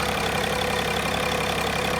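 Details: 2005 Mercedes W211 E320 CDI diesel with intermittent no-crank/no-start, ESP and SRS messages, started via fuse-box jumper; owner suspects bad ECU: low, steady idle with even clatter, no stumbles or misfires; normal idle.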